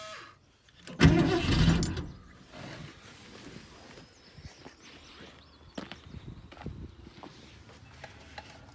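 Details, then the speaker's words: 1972 Ford Maverick revived after a decade of neglect, with a Motorcraft 2-barrel carb from a 351 F-150, choke unconnected, gas poured in the bowl: cranks, catches, then lumpy uneven idle. Owner suspects a plugged fuel filter. "you could probably hear and I think our problem it's gonna be that filter I believe it's plugged up and she's just not sucking that fluid"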